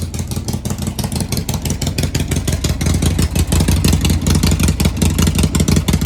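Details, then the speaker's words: 1998 Harley Sportster revived after 2-3 years unused: deep lumpy V-twin beat, even and clean as revs rise and fall; normal revving, healthy. "Does that sound good or what? Badass bike."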